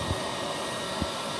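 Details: Heat gun running during repair of an Emotion-24 balneo bathtub with a water-damaged air pump motor that trips the power when switched on: a steady, even airy rush with no pitch wobble, rattle or change; the heat gun is blowing normally.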